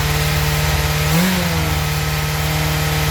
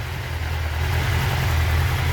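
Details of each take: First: 1996 Suzuki GSX-R 750 SRAD, carbureted, previously a no-start, fuel pump reconnected, started on choke with no throttle: it catches and holds a fast steady idle well above normal. Cause: idle adjuster set too high, then turned down. High idle. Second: 1996 Suzuki GSX-R 750 SRAD, carbureted, previously a no-start, after the fuel pump was reconnected and the high idle adjuster turned down: a steady low rumble at idle, even and settled, with no hunting or misfire. Normal idle.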